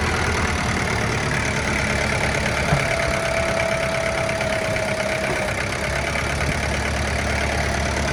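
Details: Kubota M9000SU tractor with a 90 hp factory-turbo four-cylinder diesel, idling while the hydraulics are operated. Low, steady clatter with no knocks or surging; hydraulics described as good and very quiet; normal idle.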